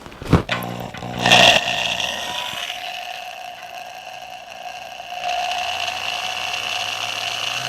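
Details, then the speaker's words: Double-insulated corded drill with non-polarized plug, described as gutsy, low-RPM with a unique sound: low hum and steady whine stepping up in pitch with the trigger, smooth and healthy; normal variable-speed running. "This always had a unique sound to it. I think because it's kind of a really gutsy, low RPM tool."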